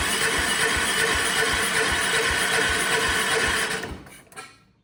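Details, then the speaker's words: Vintage Kohler generator with a big flathead engine (guessed 400–500 cc), fuel fed straight to the carburetor. It cranks steadily at about four beats a second but never fires. Dirty carburetor or stuck needle valve suspected. "Well, it looks like the carburetor needs to be cleaned out because it definitely did not even try to crank over at all."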